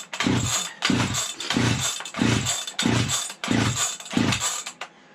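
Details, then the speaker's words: Vintage 1970s Stihl 031AV chainsaw, long left outdoors and rained on, choke closed: seven pull-start bursts about a second apart turn it over without catching, it only starts to kick before the coil and rope pull out; cranks but won't start. "Whew, she don't want to go. Started to kick, and our coil and rope stinking pulled out."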